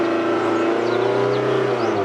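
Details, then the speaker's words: Rover 216 SE convertible held at about 3000–4000 rpm as in the MOT idle test and then released. The pitch eases smoothly back to idle with no hang or hunting: a normal return to idle. "and then let it drop down there we go it's dripping down as it should now much better"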